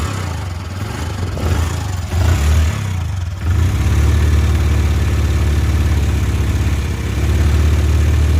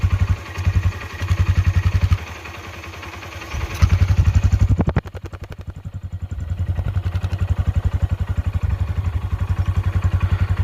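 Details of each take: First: Worn-out Honda Dream Yuga engine before rebuild: deep uneven thumping idle with loose clatter and surging, smoke from silencer; stalls intermittently and fouls spark plugs every two or three km; whole engine needs rebuilding. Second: Honda Dream Yuga after full engine rebuild, heard near the silencer: steady, even single-cylinder thump at idle with clean exhaust pulses, no knocks or rattles, and no smoke; engine sounds smooth and healthy.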